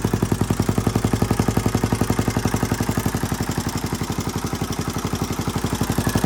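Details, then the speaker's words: 1981 Honda XL500S single-cylinder, first stone-cold start after fuel tank patch, oil change and air filter, on a makeshift fuel tank: strong, even thumping about four beats a second, healthy idle; owner hears a possible leak, carburetor not leaking. "so sounds pretty good might have a leak somewhere in here i can kind of hear it"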